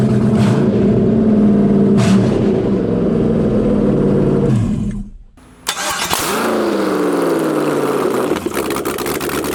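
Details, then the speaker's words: LS V8-swapped Jaguar XJ-S, no exhaust headers, open ports, after first start: very loud raw bark settling to steady idle, picks up cleanly with each blip; engine runs fine. "boy oh boy it's gonna sound so nice whenever it has a glass on it it sounds nice right now yeah but a little painful though"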